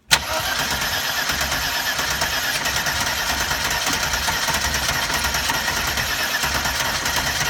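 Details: 1992 Mercedes 300E 2.6 M103 engine that won't start, second attempt with accelerator pressed: steady, even churning crank throughout, engine never fires or catches; crank no-start, cause unclear.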